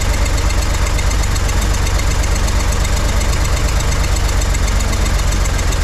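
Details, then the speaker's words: 1963 Corvair engine after carb resync from scratch, chokes hooked up, blipping throttle: loud, low, uneven chuffing idle with a wandering beat and puffs from the engine; rough idle, carbs or chokes suspected out of balance, not confirmed. "maybe a little throttle ah still not uh still not happy with that what's going on here why am I getting poofs of [Applause] stuff"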